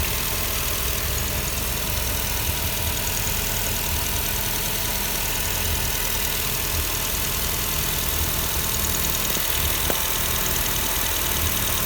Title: Nissan Almera Common Problems Radiator Air Cond Fan Motor Spoiled Sound Condenser Fan Noise Problem